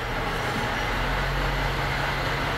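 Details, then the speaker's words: Honda Element manual transmission, leaking and one litre low on oil, topped up. In fifth, off throttle, a steady droning whine over road rumble. Gears one to four are quiet; fifth-gear whine. "no estoy acelerando un poco y se escucha feo feo esa transmisión"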